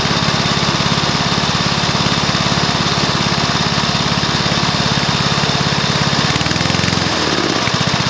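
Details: Probably early-1984 Briggs & Stratton mower engine, first start after new piston, rings and valves to cure oil consumption from loose rings and worn valves: steady, even single-cylinder putter at constant speed, no knocks or misses; normal running.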